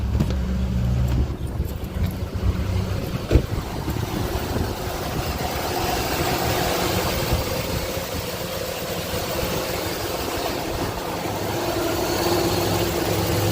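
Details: 2003 Chevy Tahoe 5.3 V8 after replacing the valley pan gasket, knock sensors and intake manifold gaskets, fuel rail reprimed: brief catch at start, then smooth steady idle with no knocks or ticks; normal idle.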